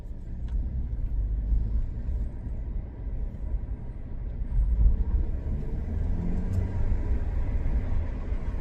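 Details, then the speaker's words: Alfa Romeo on a French road trip, driven after being fixed. Deep, even engine rumble swells smoothly with throttle under road noise, with no knocks or misses. Normal, healthy running. "It's okay. She's okay, she sounds good."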